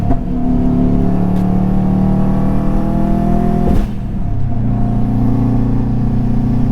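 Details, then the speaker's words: Subaru WRX driven under throttle: steady low drone with a brief sag and stumble before it picks back up; engine hesitation under load. "I don't know if you can tell, but it's just like dogging. It's dogging."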